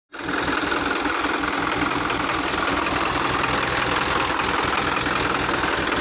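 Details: Hino truck diesel engine running with an uneven knock, roughly two or three a second, over the diesel rumble; abnormal engine knocking, cause not identified.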